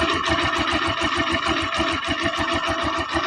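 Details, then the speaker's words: TMX Alpha small single-cylinder motorcycle, nearly new but with a ticking engine, idles right after valve clearance adjustment at an even, unhurried beat with no sharp top-end tapping; normal idle. "Ayan o. Tahimik. Tahimik yung andar ng kanyang makina."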